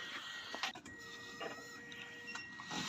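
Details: Drift car fuel system after fitting injectors and a fuel pressure regulator, pressure set around 3.5 bar: steady high electric whir holding one even tone with no surging or stutter; fuel pump running normally.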